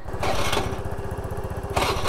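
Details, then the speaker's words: Scooter single-cylinder engine at idle: fast, harsh steady knocking from the engine, coming and going in level; owner fears the engine may seize, cause unknown. "Guys कुछ तो आ रही है भाई आवाज। आपको दे रही है गाइस सुनाई। देखो भाई इंजन से आ रही है"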